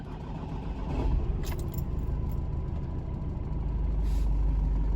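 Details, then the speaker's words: Nissan X-Trail with starting problems, cold engine after EGR valve refitted, cranked to compare with before repair: brisk even cranking catches within a second into steady low idle; normal quick start, check engine light out. "a nice crank Speedy start um check engine light is out"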